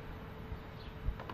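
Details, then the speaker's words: 1992 HP LaserJet IIIp printer, long stored in an attic, at power-on: faint steady mid-pitched whine with light clicks as it strains and fails to finish starting up. "Trying so hard, but it can't do it. So maybe put the camera right up where that whine is coming out, which I think is like over here."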